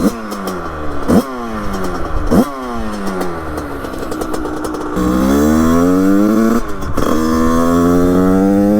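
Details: Beta two-stroke with 34 Mikuni cross carburettor, 100cc, idle jet 25, during carb tuning: idle hunts and surges, dropping then catching with a rev; badly mistuned, running rich, much still to adjust.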